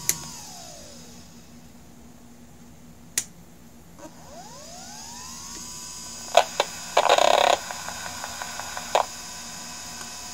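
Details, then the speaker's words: Hard drive heard through an electromagnetic pickup coil placed at the spindle motor: quiet spin-up sweeps, then bursts of quick ticking as the heads seek while firmware loads from the reserved area. A normal startup. "and that was it that was the sound of the head moving back and forth because it loaded its firmware from the reserve section of the hard drive"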